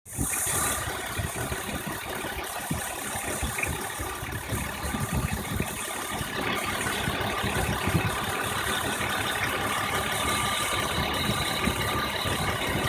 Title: BMW 1997 M3 E36 chirping noise